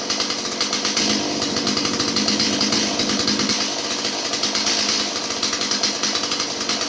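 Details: Stihl 017 chainsaw that bogged down, after retrofitting an adjustable non-EPA carburetor in place of the non-adjustable EPA one: high, steady two-stroke buzz with a crisp, even beat, no stumbling or bogging; normal running.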